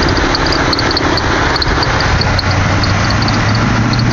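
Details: 2007 Toyota Camry SE V6: short high chirps repeating over a steady idle from the engine bay. Tension rod, pulley, belts and a cracked motor mount already replaced without curing it; owner suspects the water pump or idler pulley.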